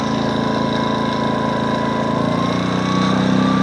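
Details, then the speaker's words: Westinghouse iGen2500 inverter generator, owned 9 years, switched to full load; small-engine hum with rapid even firing, pitch climbing slightly near the end as it powers up. Runs smooth and healthy under load. "You probably hear that it just powered up a little bit."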